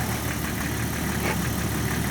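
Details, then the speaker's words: Jeep six-cylinder idling with a DC-powered hydrogen generator fed into the air box and new 12-hole injectors replacing badly worn originals: even, steady idle hum with no misses or stumbles at a constant level; idling smoothly. "but yeah honestly running with the hydrogen it is quieter smoother and i guess"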